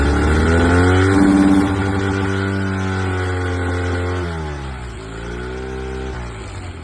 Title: Honda 8D misfire